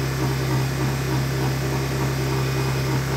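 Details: Used Honda EU1000i inverter generator, older model: smooth constant low drone with gentle even pulse, no misses, surging or hunting; running steady.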